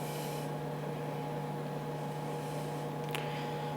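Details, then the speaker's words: IBM PS/2 Model 80 hard drive powered up on the bench after months in storage: only a faint steady electrical hum, no spin-up whine, no head clicks; motor won't spin, suspected fault in the motor start circuitry. "okay not a thing that's not good all right not a thing all right there's a problem with the start circuitry for the motor then"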